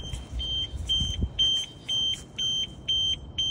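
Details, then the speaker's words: 2013 Audi A4, about 101,000 miles, front-end damage, no key; opening it tripped the security alarm, giving high-pitched beeps about twice a second over a quiet background. "Oh, I didn't like me opening up that. That's your security alarm."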